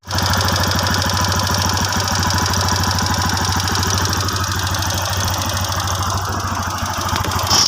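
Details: TVS Apache RTR motorcycle engine at idle, before engine repair: a fast, uneven tick-tick rattle rides over a steady idle, a light top-end ticking whose cause is not yet pinned down.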